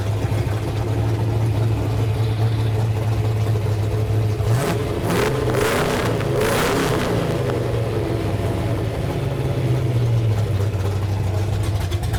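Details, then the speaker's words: Newly built 331 V8 in a Ford Ranger, first fire-up after the idle screw was turned up. A loud, choppy, loping V8 idle with a brief throttle blip from the aggressive cam; running very rich while the computer learns. "that is a rowdy cam it's running super rich right now"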